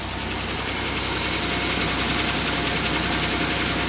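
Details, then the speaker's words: 2003 Pontiac Grand Am GT after upper-end rebuild: idle uneven and lumpy, stumbling about three to four times a second; sudden misfire that wasn't there earlier, cause unknown. "that's weird it wasn't doing that earlier oh great well now it's got a miss"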